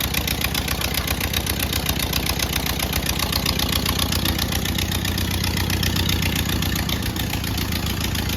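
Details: 1928 Ford Model A 201 cid flathead inline-four, first run after 17-18 years stored, choke on, timing locked slightly advanced: slow, even chuffing at relaxed idle with steady firing pulses, no misses or knocks; runs healthy.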